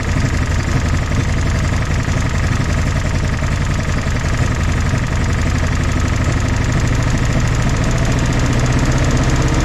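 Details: 1964 Jeep CJ5 barn find, previously seized engine, just revived: loud, even low idle with steady beat, no misses or ticking, all four cylinders firing after the fourth kicked in; smoky but smooth.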